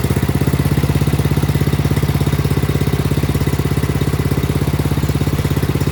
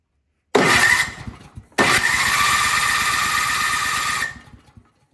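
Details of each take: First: Craftsman snowblower after a new carburetor and fuel line were fitted: the small single-cylinder engine putters at a quick, very even beat and holds a steady idle; normal idle. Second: Craftsman snowblower that would not start, given a shot of starting fluid; catches, runs a few seconds, then sputters out each time, so the carburetor isn't feeding fuel (later replaced).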